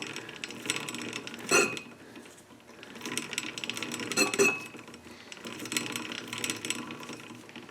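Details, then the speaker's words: Dixon lawn mower, wheel spun by hand after adjusting: irregular light metallic clicks and rattles come and go from the drive chain, not the hub rubbing. "that's the chain making all that noise by the way"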